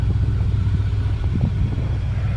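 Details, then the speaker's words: 1978 Dodge D150 carbureted V8 at -23C (wind chill -35C), block heater plugged in, sat several days, about 6-7 minutes after cold start: smooth steady low rumble, even beat, no knocks or misses; healthy cold idle. "Well, listen to her. She is just purring away. Doesn't that sound like a happy engine?"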